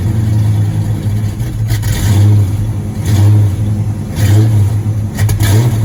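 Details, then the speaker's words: 1986 Mustang GT, original 40–50k miles, sat a while, on its first start. The V8 idles unevenly with a loping, surging beat about once a second: rough running, misfire suspected. "It's just running really bad. And I'm going to find out what's going on."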